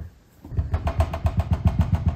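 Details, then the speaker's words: Mercedes E-Class W211 with Harman Kardon system: the rear-shelf subwoofer rattles. Low bass thumps about six times a second, each with a buzzy clatter on top; the clattering spoils the sound. "Dieses Geklacker, das ist genau das, was den Sound stört."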